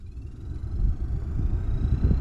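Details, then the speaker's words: 2009-14 Ford F-150 heater/AC blower after the fix, A/C on at full fan: the fan spins up with a soft rising whir over low engine rumble, no rattle or scraping; very quiet compared to before, normal blower operation. "oh listen listen to that full full-on fan mode here look at that full fan mode full blown no more horrible noise"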